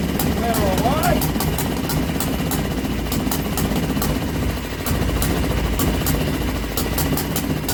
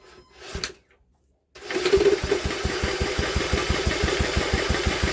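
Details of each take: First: Old Villiers single-cylinder engine run on a bench, on choke, started with drill: fast uneven popping idle, running steadily, bench clattering; kill switch failed because contact was painted over. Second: Old Villiers engine, cranked by drill on flywheel: even cranking beats about three a second, no firing at all.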